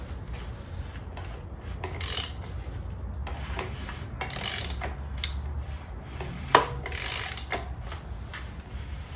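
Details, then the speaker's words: Saab 900 Turbo engine rebuild, crank turned slowly by hand with a new crank pulley fitted: bursts of dry ratcheting clicks over a low rumble from the timing chain tensioner taking up slack, which is normal. "when we start spinning you'll hear the tensioner start ratcheting oh yep I said don't worry about that so keep going"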